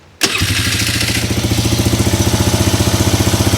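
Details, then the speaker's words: Polaris Sportsman 300 ATV after replacing carburetor and fuel hose and clamp: catches on first crank and settles at once into even, steady idle about 220 pulses per minute, no fuel leak; normal start and idle. "Starts right up. I don't see a [Music] leak."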